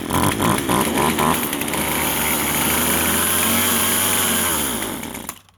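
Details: Vintage Husqvarna 136 chainsaw, California emissions model: revs with a strained, flat note, can't hold speed, then sags and dies; bogging, first suspected carburetor, found to be a plugged muffler.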